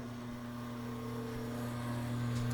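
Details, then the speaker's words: Poitras 24-inch bandsaw, 5 hp motor, pulleys changed to slow it down after severe vibration: quiet steady low hum from motor and wheels, no thumping or wobble; normal running. "quiet it doesn't run at the same speed like I said we should we brought the speed down"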